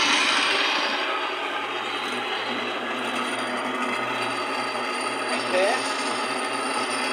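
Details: Older Miller spin dryer (centrifuge) after wiring a jumper and fitting a 25 capacitor; steady low hum with an even rubbing whir, no knocks or surging, spins up and runs smoothly, normal spin.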